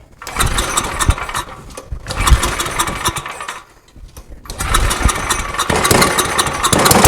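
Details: Small engine fitted with a homemade tri-fuel conversion, running on gasoline with the propane off, new petcock and inline fuel filter; started on full choke. A few pulls, a brief lull, then it catches and runs steady and even with no misfire.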